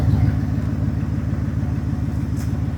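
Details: 2019 Ford F-150 5.0 V8 idling with an uneven lumpy low pulse, two cylinders dead: existing cylinder 4 misfire despite new coil and plug, plus cylinder 1 coil deliberately unplugged to verify the scanner identifies cylinders correctly.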